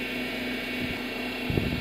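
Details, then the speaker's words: Honda Odyssey at idle after fresh fluid was added to the power steering reservoir: smooth, even hum, the power steering pump whine gone and the pump now quiet. "パワステタンクの蓋を開けるびっくりマーク。そこに魔法のフルードびっくりマーク。これまたびっくり静かにびっくりマーク。シーンとなります。"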